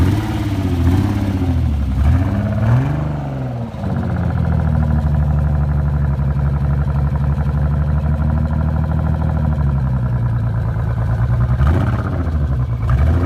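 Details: Nissan 300ZX misfiring for an unknown reason, facing a full engine rebuild: it revs up and settles into an uneven, stumbling idle with an irregular chuff in the exhaust beat. Engine misfire.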